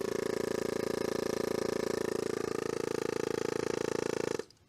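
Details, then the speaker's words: Nissan S12 200SX, vacuum pump with engine vacuum line disconnected, only boost gauge and blocked cruise control connected: even buzzing pulses about four per second build, then cut off cleanly; pump reached vacuum and shut off. "yes did you hear how it shut off it should do this where it kind of builds a vacuum and shuts off"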